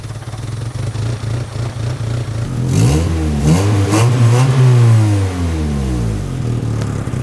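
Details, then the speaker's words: 1999 Mazda Miata idling on its own after head gasket replacement and reassembly; steady idle with slight uneven lope and a brief rev blip, a little rough, with a suspect whipping noise; likely needs an idle setting procedure. "so from here obviously things aren't quite perfect right there's a little bit of work left to be done it does idle but it's a little rough"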